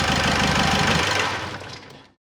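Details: Car engine at idle after a whistle appeared under the hood while driving: steady even idle with no whistle, then switched off and runs down quietly; no overrunning alternator clutch or roller fault, sounds healthy.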